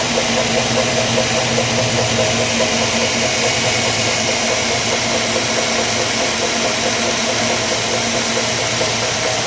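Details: 2003 Mazda 6 1.8 petrol hatchback, idling, right after drive belt and idler pulley replacement, worst on cold start: steady rhythmic rattle, about two beats a second, at the alternator. Cause: the new Dayco 6PK2255 belt is 5 mm shorter (over-tight).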